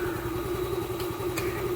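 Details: Yamaha Ray scooter, late-starting complaint fixed by replacing the fouled spark plug and seating the plug cap firmly: quick, even putter at steady idle with no misses or stumbles; normal idle.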